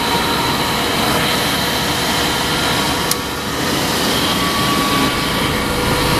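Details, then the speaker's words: 2000 Nissan Xterra 3.3L V6 after crank-no-start ignition-circuit troubleshooting, fires right away, timing not yet set: even, steady roar with no misses, knocks or stumbles; sounds healthy. "I'm going to crank the engine and uh see we have our wrench. Everything's good. Fire up right away."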